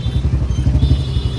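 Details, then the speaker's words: Royal Enfield Standard 350 single-cylinder with C-type free-flow bend pipe, riding on road before gas-kit ring fitted: deep thump turns ragged and puffy under light throttle as air leaks at the main header pipe joint; ring to seal it. "जो main joint होता है इसमें यहां से हवा leak हो रही है आवाज तो बढ़िया कर रही है पर जो हवा प्रेशर जो प्रॉपर आना चाहिए ना हल्की रेस देने के बाद इसकी आवाज टेढ़ी मेढी हो रही है तो हवा लीक हो रही है यहां से"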